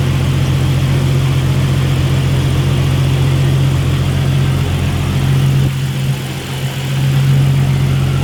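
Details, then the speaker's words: Turbocharged drift car idling after turbo core cleaning and new lines and clamps, checking for oil leaks; smooth even idle with steady low rumble and no knocks, ticks or misses, after a previous turbo drain leak onto the manifold. "Now, see if it actually starts and make sure there's no oil leaks, otherwise you can have a big problem."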